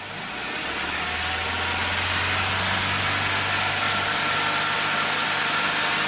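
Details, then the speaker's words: Car engine after DIY carbon cleaning of cylinder head, combustion chamber, throttle body and spark plugs: even, steady idle with constant low hum and no misses or knocks; sounds smoother and more powerful. "Weh, suaranya halus, lebih bertenaga. Kelihatan banget nih jedar hantemannya tuh lebih powerful."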